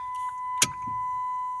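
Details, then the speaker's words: 2005 PT Cruiser with a new battery, dash lights come on: turning the key gives one short sharp click, no cranking, then a steady chime tone; owner suspects the starter; no-start. "I don't know if you heard it, but it sound like a like um like something's trying to move into place."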